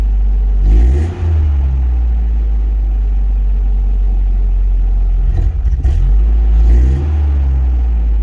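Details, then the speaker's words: 1988 Toyota pickup just after a Walbro 255 in-tank fuel pump install, meant to cure suspected fuel starvation: catches with a rev, runs rough and uneven for about two seconds, then sags and dies. The new pump didn't fix it; owner wonders about air in the line. "See, it fires right up, no problem, and it'll run for two seconds now, and then it'll die."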